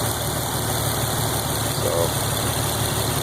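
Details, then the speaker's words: 2015 Z, 281 miles after twin turbo replacement, rod bearings and a lifter refurbish: a smooth, healthy idle heard inside the car and up front, with hardly any lifter tick. The Borla exhaust drone is louder than the engine. "so this is what it sounds like from the inside let's listen up front here that's a good sounding Z hardly any hardly any lifter tick hear the exhaust even from the front more than you do the actual engine"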